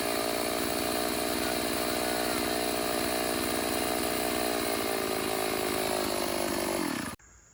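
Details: Stihl AV 028 Woodboss chainsaw, previously running lean and bogging, after new fuel line and filter and carb adjustment; crisp steady high rev without bogging or surging, then sharp shutoff; running healthy.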